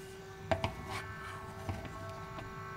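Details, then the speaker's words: APC Back-UPS 1600VA (BX1600MI) fan: steady droning hum from annoying vibration plus light handling clicks; airflow stronger but vibration noticeable. "So the vibration is very annoying."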